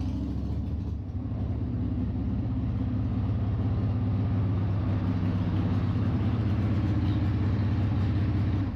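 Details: 1995 Harley-Davidson Sportster after fixing clutch adjustment bearing and fitting Screamin' Eagle Performance Clutch Kit: deep steady loping rumble at idle, about four beats a second, even, no knocks or clatter. Normal idle.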